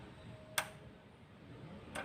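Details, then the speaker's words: New fuel-cut solenoid for a Kia Carnival diesel injection pump, bench-tested before fitting: two crisp, sharp clicks about a second and a half apart as it pulls in and releases cleanly. Works normally. "siap Oke dah jalan ya masih jalan Masih bagus"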